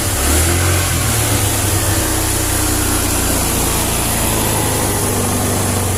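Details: First-model Honda Vario 110 with a new regulator/rectifier, battery disconnected, kick-started: runs steady and smooth with an even note, idle briefly too high and then settling, no misses. Normal running proves the old regulator was faulty.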